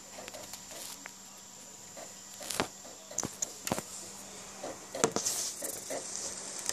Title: Ps3 slim making weird noise from disk drive !